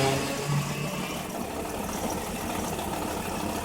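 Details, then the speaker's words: 2005 Nissan Murano after the misfire from a bad ignition coil was repaired. A scanner injector cut test shows all cylinders working, with a smooth, steady idle and no stumbles: the misfire is resolved and the idle is normal. "vemos que todos los siguientes se están trabajando bien ya quedó resuelto los problemas de fácil en este nissan murano 2005-2006"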